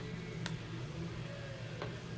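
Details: Waspcam Tact action camera in video-recording mode: pressing the square button takes a still photo mid-recording, and a faint short click over quiet room hum confirms the photo was taken.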